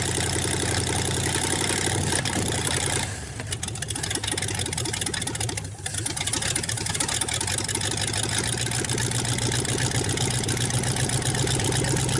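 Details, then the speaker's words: 1954 Ford Y-block 239 V8, first start in 20+ years after possibly flooding: steady even idle, loud raspy exhaust, very little smoke, no knocking or lifter tick; engine sounds healthy. "nothing wrong with that Indian very little smoke no knocking I don't hear no lifter staff and I know the exhaust is loud"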